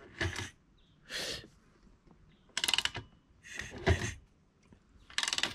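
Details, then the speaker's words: 125 Apollo motorcycle wreck being turned over by kick: short bursts of sharp metallic clicks; owner suspects mis-set timing with a valve lightly hitting the piston; not confirmed. "vous entendez le bruit un peu écoutez le bruit il y a un claque que j'aime pas"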